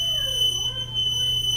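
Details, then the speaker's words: Frigidaire dryer running with a steady piercing high squeal over low motor hum; worn rear drum bearing, to be fixed by replacing the rear bearing. "awful man this has got the fix gate we're dealing with a squeaky Frigidaire dryer we're gonna replace the rear bearing"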